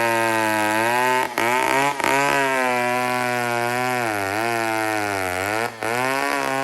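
A crisp two-stroke scream holds steady, dips smoothly under load and recovers cleanly with brief throttle blips; the saw runs and cuts well.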